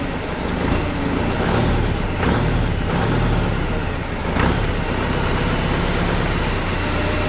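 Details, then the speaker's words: Case 188D diesel tractor engine at first fire-up after a 54-week rebuild, injector pump just refitted, throttle worked by hand; slow even idle clatter with a few brief throttle lifts, no knocks or misses; normal idle, break-in sequence pending. "we're just gonna let her idle I can't remember I think there is a breakdown break-in sequence I'll have to look that back up"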